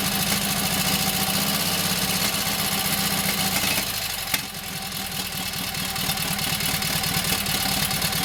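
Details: Kohler KT17 twin, first start: catches and settles into steady, even idle with clean firing beat, no knocks or misses. Oil pressure 50, governor works, timing good; carburetor needs tweaking.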